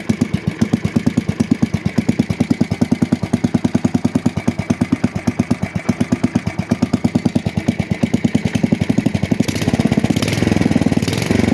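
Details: 1966 Custom 6 engine after reassembly with a new starter-generator bearing, pull-started off the broken pulley side. Even single-cylinder chuffing at about seven firings a second picks up slightly near the end. It smokes from water in the bore and oil on the block. Normal running.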